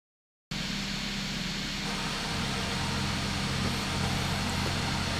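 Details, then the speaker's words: Turbocharged Toyota Supra after fixing a broken cap that caused a major coolant leak and white smoke above the turbo; now seems to run over five minutes and drives out of the garage; steady, even engine note with a constant fan-like hiss, no misses or knocks. "I fixed the coolant problem that I had and from what I can tell the car will run for a longer than five minutes"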